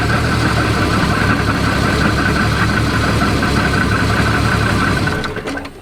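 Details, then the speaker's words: 1990 Jeep Cherokee XJ 4.0 Renix, first start after 14 years dormant with old fuel: steady idle with a dull, uneven knock about four per second, owner thinks it is in the bottom end, not yet confirmed. "sounding a little bit more like it's kicking in the bottom end there. Bit of a knocking noise."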